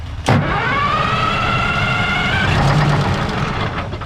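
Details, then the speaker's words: 1973 Freightliner cabover diesel truck on 24-volt batteries, fuel shut-off cable held by hand: brief cranking, then catches and settles into steady even diesel idle with a rising whine fading as it stabilises; normal start. "all right we can shut off that's good all right go ahead well it runs what do you say is successful will it start yeah"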